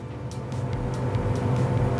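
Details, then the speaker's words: Samsung 400-liter inverter refrigerator that wasn't cooling, with the control board blinking 12 times because the freezer fan wasn't working; after repair the fan runs with a steady low hum and faint regular tick, no rattle or scrape; normal. "I can complete the job. Fan is working already. You can hear the noise. Before it's not working, that's why it's error message coming, showing, and it's not getting cool properly."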